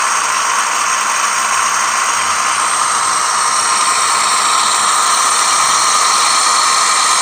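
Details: Toyota Sienna 2007–2010, 3.5L 2GR-FE V6: steady gritty whirring grind from the belt side while running; worn lower idler pulley bearing, fixed by replacing the pulley.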